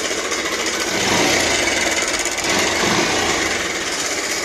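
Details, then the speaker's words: Bajaj Pulsar 150cc motorcycle at idle: harsh fast metallic clatter, about three or four knocks a second, as if the engine will come apart; suspected worn timing chain adjuster (tensioner), possibly also crank bearing or connecting rod. "दोस्तों बड़ी गंदी sound है यह तो चलिए दोस्तों ऐसा होता है कई बार कि इसका जो एडजेस्टर होता है"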